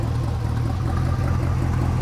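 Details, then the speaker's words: 1992 Chevrolet Corvette V8 idling, with restricted catalytic converters and a suspected misfire: deep steady rumble with a rough puffy exhaust note from a substantial exhaust leak right up front. "kind of hard to tell because we have some exhaust leaks i'm not sure where they're pretty substantial take a listen that's no small leak it's like right right up front"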